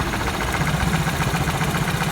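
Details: Opel Corsa 1.4 16-valve at idle: lumpy, uneven idle with the beat stumbling now and then, a misfire from a faulty ignition coil that was then replaced.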